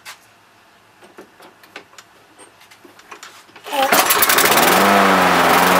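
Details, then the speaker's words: Toro lawnmower that previously would barely run, after repair: a few pulls, then engine catches and settles into a strong, steady, even roar with no stumbling or misfire; running well. "well that certainly sounds a heck of a lot better"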